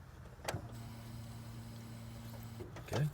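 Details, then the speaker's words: 1997 Honda Civic, key cycled on after fuel filter replacement: click then low steady fuel pump hum for about two seconds, cutting off cleanly; fuel heard flowing, no leaks found. Normal fuel pump prime. "Get the gas flowing. So go back 1, and then up again. Make sure I'm not leaking. I can hear gas flowing."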